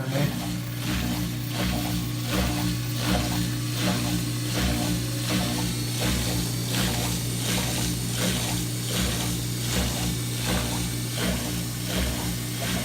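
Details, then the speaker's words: Whirlpool Duet HT washer after F02 error repair with new pump/drain basket (part 280187), rinse and spin test: steady low pump hum with water swishing; sounds better than old pump though somewhat funky; normal draining. "There goes the pump. Sounds better than the other one, but that sounds kind of funky."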